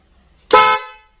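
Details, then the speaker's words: Snail horn wired directly through a switch without a relay: one short, sharp, bright, piercing blast of about half a second. It is louder than with a relay, which gives a softer, more muffled tone. "jadi ketika saya on Maka langsung ada Strom menuju ke klakson kita akan dengar bunyinya tutup telinga Nah suaranya seperti itu akan lebih kencang"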